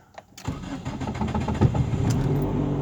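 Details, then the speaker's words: 2005 Nissan Sentra 1.8 with code P0304 misfire, run with timing deliberately offset: long crank before it catches, then an uneven, stumbling idle with an irregular beat; hard start with misfire, long-term fuel trim about -3%. "tardó en encender tenemos en el long 3 - 3 %"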